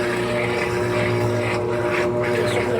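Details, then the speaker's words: Washing machine, marked LT13B, running a suspension test: loud, steady droning roar with a low hum and rushing noise during the spin. Owner suspects the drum is unbalanced, riding down on one side. Suspected unbalanced load. "Mas acho que tá meio que desbalanceado, entendeu? Tá desbalanceado."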